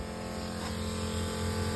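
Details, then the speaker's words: 1984 squarebody with turbo LS swap, fuel pump wired to key-on power: steady electric hum with inline regulator working, pressure just under 60 psi, though fuel is still dripping from a leak; pump priming normally. "so I turn the key the pump kicks on I can hear the inline regulator doing its thing"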